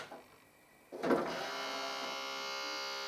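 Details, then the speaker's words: Yamaha CDC-625 multi-disc CD changer with water ingress and corrosion, drawer won't open or close: thin steady motor whir at power-up while drawer doesn't move; suspected slipping belt, not confirmed; drawer motor whirring. "turn it on I can hear a woring that doesn't sound right"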